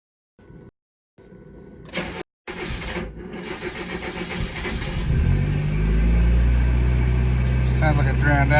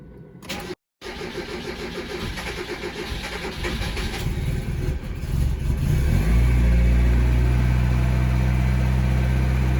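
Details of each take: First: Mazda Miata 1.6 with SpeedEFI being tuned for cold-start issues after sitting 12–24 hours: engine cranks briefly, catches cleanly and settles into a steady, even idle; this start sounds normal. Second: Mazda Miata 1.6 with SpeedEFI, cold start after sitting 12–24 hours, setting raised from 173 to 177: long steady cranking at about four beats a second, then catches and settles to an even idle; cause not confirmed.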